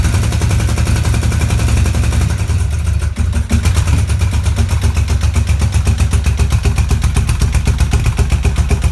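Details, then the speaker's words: BMW R80 cafe racer twin after exhaust baffles were punched straight through with a pry bar. Loud, crisp beat and deep exhaust bark at a steady idle, running evenly. Normal running with a free-flowing, noisier exhaust. "okay so it is quite actually quite noisy but I like sounds like into a mimic so I think we're going to leave it like that for the time being"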